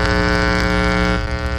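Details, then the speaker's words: Unshielded prototype tone-stack board on a tube amp test harness, before shielding: loud steady low mains buzz with a harsh edge and constant pitch; touching ground reduces it slightly; hum pickup from the unshielded circuit. "let's turn this guy on there it is you can already hear a good amount of foam coming from here now if i touch the ground it goes away a little bit"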